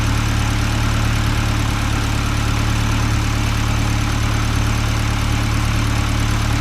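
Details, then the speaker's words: Supercharged Honda Integra on first run after build: steady low idle with faint, even light ticking about three per second and no knock; possible valvetrain ticking suspected, but judged normal injector noise. "it sounds fine to me yeah since I mean injectors do make noise"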